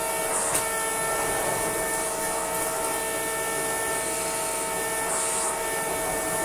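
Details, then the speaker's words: Shark CV100 cylinder vacuum cleaner: steady horn-like droning tone over the suction whoosh, unchanging in pitch, now constant rather than intermittent; abnormal drone, cause suspected, not confirmed. "this thing sounds like a chain horn a lot of the time but it's now sounded like a chain of horn all of the time"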